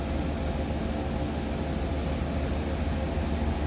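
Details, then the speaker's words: 1994 Chevrolet Silverado 1500 extended cab 4x4, stock 5.7L 350 V8, cold start, cabin: smooth low rumble with even beat about three pulses a second, no knocks or ticks; healthy stock-sounding V8 idle. "And let's listen to this. Again, 5.7 L 350 V8. Sounds like a stock 1994 Silverado half-ton to me."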